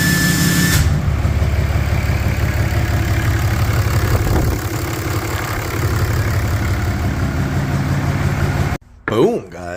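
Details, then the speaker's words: Idle on a 4th-gen Ram 3500 Cummins after first start of its rebuilt HE351VE VGT turbo; actuator off, assembly lube used. Steady, even low diesel rumble with a faint turbo hum, no grinding or rattles; healthy. Slight oil leak at the empty VGT sensor port; needs a scanner resync. "Everything's working good."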